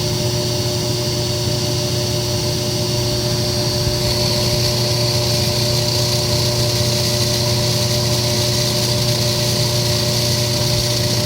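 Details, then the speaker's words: Kenmore electric dryer made by Frigidaire, motor running on air fluff while hairdryer heats the plastic fan blower wheel; steady droning hum and whooshing rush grow louder within about two minutes. Blower wheel noise when hot, only on heat cycles. "so you can hear it's starting to get loud I'm not doing anything but running the motor on air club setting and I'm using my hairdryer to heat up the fan blower wheel"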